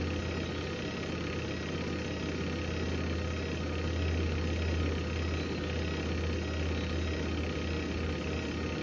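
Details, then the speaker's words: Hoover Link HL1682D3 washing machine, deliberately damaged, leaning body and twisted door seal, on spin: loud uneven rumbling with heavy low throb and constant rattle; battered cabinet banging as the drum spins. "I think we get the message it works that's Extremely Loud honestly I was he's quite insane um I could barely hear the mic I could just hear the whole machine just rattling"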